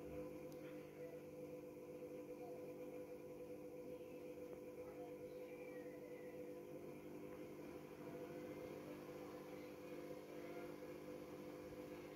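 Constant droning roar with a rough, gravelly undertone that never lets up while the drum spins: worn drum bearings.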